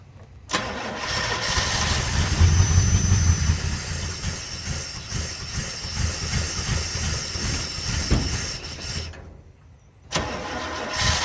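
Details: 1980 Chevrolet C30 dually with 350 small-block V8, carbureted, first start after sitting, fuel poured in, vacuum advance and PCV not hooked up; cranks, catches, runs lumpy a few seconds, dies and restarts, fuel-starved. Rough running.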